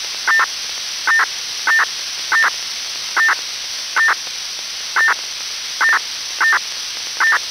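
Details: PMR446 radio channel (446.776/446.954 MHz) static with short sharp double chirps, about seventy-five a minute, unevenly spaced: normal Motorola MDLC SCADA telemetry bursts, AES-256 encrypted, from Croatian water and electric supply control systems.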